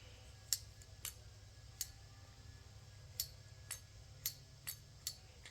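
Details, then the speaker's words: Sharp, crisp clicks at uneven intervals as the plunger of a new Lectric Limited carburetor idle stop solenoid snaps in and out, being set up on a C3 Corvette L82 with high-lift cam to hold idle with AC. Normal operation. "can hear the plunger going back and forth"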